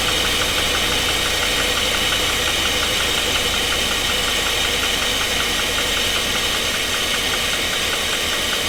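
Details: 2016 GMC Sierra 2500 with 6.0 V8, injectors unplugged and one side without spark: sharp rapid metallic ticking over the idle, about two or more per second; engine knock, cause unknown.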